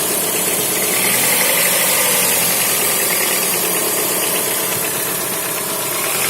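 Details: Chrysler Voyager 2.4 at idle: rough running with an irregular tapping, roughly three per second, over a loud hissy background; an internal engine knock of unclear origin.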